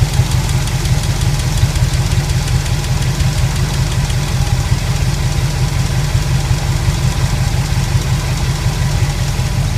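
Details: Pontiac 400 V8 idling with a quick, light valvetrain tapping over the low rumble, steady at idle; owner suspects a bad lifter, unconfirmed, and plans a teardown.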